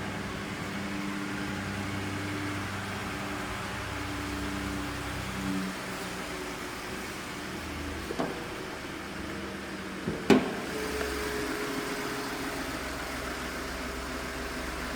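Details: 2016 Ford F-150 Lariat SuperCrew 4x4, 2.7 L EcoBoost, 6-speed automatic, 145,236 miles, no check-engine lights, heard from the rear: quiet, smooth, even idle with no knocks, ticks or misses, just a few handling bumps; engine sounds healthy.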